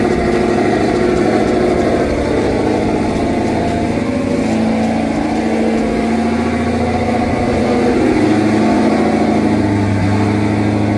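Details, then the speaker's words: Turbo Redeye after replacing two burnt-out O2 sensors and clearing codes, sat 2.5–3 weeks in hot weather: the cold engine settles into an even, steady idle with no clear stumble or miss. The P0300 code is still present. Normal idle. "all right so we still got the code but you can hear is idling just fine"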